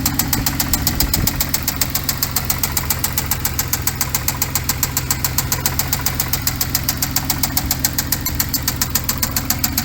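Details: 2014 Hyundai Genesis Coupe BK2, 3.8L GDI DOHC V6, automatic, 84,821 miles: hard metallic knock repeating about 2.5 times a second at idle, loud and regular; bottom-end engine knock, engine considered done.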